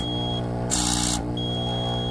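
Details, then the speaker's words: Level1 Rapid Infuser pneumatic air pump after rebuild and reassembly with valve sitting flatter: steady hum drops pitch under load when outlet is covered, then gust of air as released; normal pressure building. "the pump changes its pitch because it's under load now and also you hear that gust of air"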